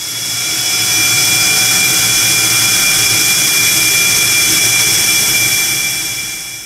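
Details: Conventional oil-free screw compressor running normally: loud, steady high-pitched hiss and whine with several fixed tones, about 10 dB louder than BOGE's high-speed turbo compressor.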